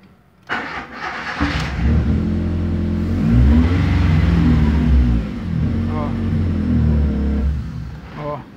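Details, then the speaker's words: 2007 VW Fox 1.0 8-valve, stalls when clutch pressed in neutral, worse when very hot: engine revved, runs unevenly, sags and dies within seconds; cause found to be a faulty MAP sensor, which can also cause manifold backfires. "mas se ele for contar muito quente mesmo ele ele morre dá uma acelerada aqui"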